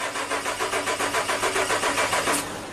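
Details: 2011 Suzuki Equator (Nissan Frontier) cold no-start below 20F (-5C): steady starter cranking about five compression beats a second, never fires; injector and coil power feeds good but no injector or ignition pulse, traced to faulty ECM.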